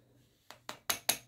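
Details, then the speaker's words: Used OSRAM Dulux 41/827 230 V 50/60 Hz compact fluorescent lamp from recycling bin, shaken by hand: five sharp, light clinks about a fifth of a second apart; something loose in the base, owner suspects the capacitor; lamp still works. "et on entend alors je me dis c'est peut-être le condensateur qu'on entend vers le"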